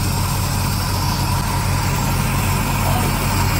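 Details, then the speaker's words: Barn-find classic Mini pickup-based ice cream van, first start attempt with choke: it catches and settles into a low, steady idle with a fairly even chug and no obvious knocks or misses; the engine is running. "holy cow actually running"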